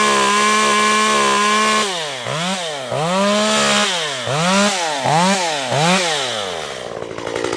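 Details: Stihl MS194t two-stroke chainsaw after fuel-issue repair, warmed up and cutting wood: revs cleanly, pulls down evenly in the cut and picks straight back up; healthy running under load.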